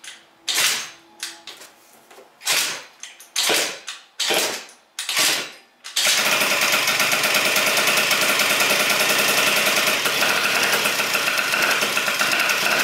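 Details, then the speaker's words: Malaguti Phantom F12 scooter with Stage 6 70cc MK2 water-cooled two-stroke, PWK carb with untested jetting, first start: sputtering catches then a harsh raspy roar; open carb with no air filter makes loud intake hiss that dominates. "carb sounds crazy over here carb is wow man that's all I hear is the carb"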